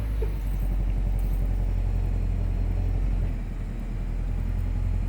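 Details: 2002 Nissan Altima after fuel pump replacement, battery reconnected: steady low rumble that eases briefly and picks back up, no stumbling, ticking or knocking; engine runs cleanly.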